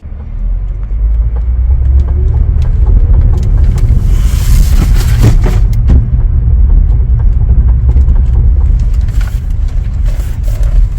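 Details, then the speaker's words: 2012 Hyundai Veracruz during sharp left and right parking-lot turns: repetitive clicking over a low rumble from a faulty right front CV axle; the left axle was replaced months earlier. "the video we were doing sharp left and right turns you can definitely hear the repetitive clicky sound which is very distinct to a faulty CV axle"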